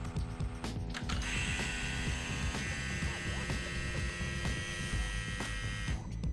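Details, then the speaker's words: McLaren 650S Spider during cam phaser repair, engine not running, no coolant yet: key-on priming checks for fuel line leaks at firewall; faint steady high whine for about five seconds over light clicks, fuel pumps priming normally, no leaks found. "so to make sure we have no leaks before we go any further so we're gonna prime the pump by turning the ignition on"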